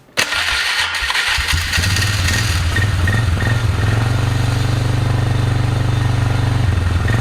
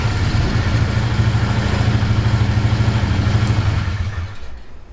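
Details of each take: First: Polaris Magnum 325 ATV, lean and starving for fuel, started on a weak battery. It fires quickly, then idles with an uneven, sputtery beat that dips now and then; running lean, later traced to unfiltered air pulled around the filter. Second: Polaris Magnum 325 single-cylinder ATV with air cleaner and airbox lid back on, which changed vacuum and cured lean fuel starvation; thumps evenly and steadily with no stumbling or surging before winding down, running healthy.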